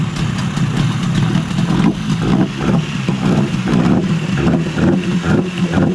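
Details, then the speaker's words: 1972–78 Yamaha 20A two-stroke outboard, code 653, running cold and slightly smoky on oil mix: low, lumpy idle with sagging pulses; it stalled shortly after, cause not yet found. "sounds like just falling back a little bit there squeeze the f a little bit more little bit Smokey but two stroke oil mix does sound like it's going to stall out"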